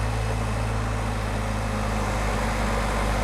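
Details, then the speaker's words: Suzuki Samurai 1.6 16V after replacing fuel injectors: fires right up into a steady, even idle with no ticking and responsive throttle; earlier burbling and ticking blamed on a dry injector flooding one cylinder are gone. "she fired right up sounds good i don't hear no ticking now [Applause] nice and responsive"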